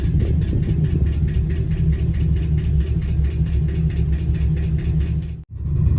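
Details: Chevrolet Camaro SS (2010–2015, LS3 V8) at idle: sharp, regular tap about five times per second; owner unsure whether it is lifter tick or rod knock.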